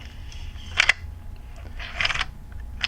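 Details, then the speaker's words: Yashica Minister-D rangefinder film camera, rewinding film with the rewind button pressed: three crisp clicks about a second apart as the film leaves the spool. This is normal and means rewinding is basically done. "That clicking sound is a sound of the film coming off of the film spool inside the camera. And what that means, you're basically done rewinding."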